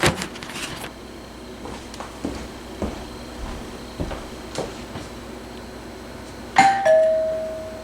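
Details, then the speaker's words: Vintage wood-grain two-chime doorbell, probably 1970s, with a replaced cheap button, recorded indoors from the chime: after footsteps, one clear ding-dong, high note then lower, fading evenly; old unit works normally. "That's just a basic 2-chime bell, but it's nice to see an old unit still in service."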